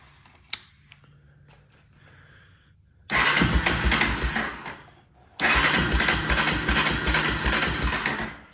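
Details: 1996 Honda FourTrax 300EX ATV with airbox tube and aftermarket air lid now fitted: fires and revs about two seconds, sags and dies, restarts and fades again; still won't hold idle, so the carburettor is coming off.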